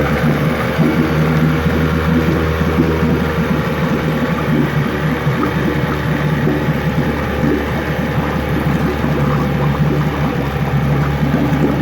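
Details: 9.9 HP Johnson two-stroke outboard, fresh carb kit and water pump, in a test tank: putters evenly at a low idle near 800 rpm with steady firing and no misses. It dies just under 800; normal idle.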